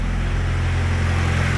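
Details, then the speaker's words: Turbo B20-swapped Honda Civic idling after fixing a wastegate that leaked for about a year (missing collar): steady, even low rumble with no puffing or ticking from the exhaust side; much quieter, healthy. "yeah that's much quieter so now there's nothing blown out of our dump there at idle"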